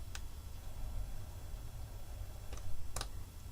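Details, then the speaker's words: Car jump starter power bank, model CP07723, boost button pressed; a few sharp dry single clicks in a quiet room, the internal relay pulling in; normal. "So you've got this button here, boost. Did you hear that? Relay inside."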